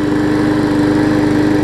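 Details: New 2013 Murray push mower after removing a hard rubber piece stuck in the intake valve that had caused lost compression: small single-cylinder engine runs smooth and even, with a steady hum and regular firing beat; healthy.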